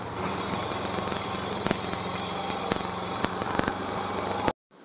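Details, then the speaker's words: Yamaha Mio M3 scooter that previously idled poorly with very rough engine sound, after repair and reassembly; steady even single-cylinder drone, no knocking or rattle, a few handling clicks; normal running. "semoga terulang sangat pun langsung normal gokil jadi kasus menterinya sudah terselesaikan bos"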